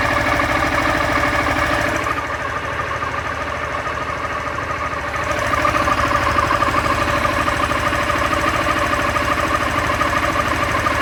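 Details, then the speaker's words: Honda Fan 160 motorcycle with only 5000 km at idle: with the clutch pulled a strange fast rattly tick starts, about two to three a second, and it gets louder when any gear is engaged. Owner suspects the clutch assembly; unconfirmed. "se eu apertar a embreagem, começa a fazer um barulho estranho. No ponto morto. E se eu engatar qualquer marcha, o barulho aumenta."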